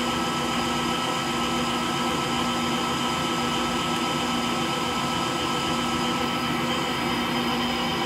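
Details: Frigidaire Gallery front-load washer GLTF1670AS1 in slower final spin: a constant rumbling drone with a fixed hum at a steady level, from worn motor bearings.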